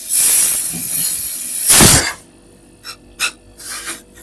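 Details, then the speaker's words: Refrigerator not cooling with compressor running: strong compressor pumping, but holding pressure draws a sharp loud gas hiss and short spurts from part of the condenser, refrigerant leaking from the condenser. "यह देखिए इसकी आवाज बता रही है कि इसकी जबरदस्त पंपिंग है और इसके प्रेशर को होल्ड करने पर हमें इस कंडेंसर से कुछ साउंड आ रहा है लीकेज का।"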